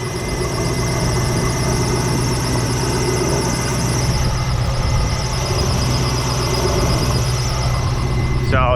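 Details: C5 Corvette on a cold, about 40°F day: a steady high squeal like a bird under the hood rides over a smooth idle; not the harmonic balancer.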